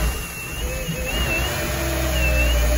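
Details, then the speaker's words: 2009 Chevrolet Traverse idling after all spark plugs and the bad number 6 cylinder coil were replaced. It misfired badly before; it now runs smooth and steady with no stumble. Normal idle. "it was running like terrible before it had a bad myth now she smoothed itself okay"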